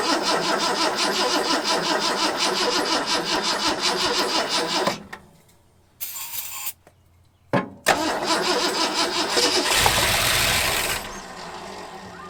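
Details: Long-parked 1974 Ford F100 V8 with gasoline poured into the carburetor: ragged, uneven pulsing for about five seconds, then it dies and coughs. Owner suspects a clogged carburetor and plans a carb kit.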